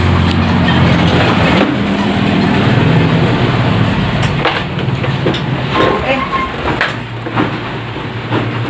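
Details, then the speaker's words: Old carbureted Yamaha Mio scooter: engine runs unevenly, sputters and sags under throttle and dies; stalls when throttled, cause checked in the carburettor (vacuum or jet needle suspected). "kali ini kita dapat pasien Mio ya Mio lama dengan kondisi merebet atau tidak mau digas"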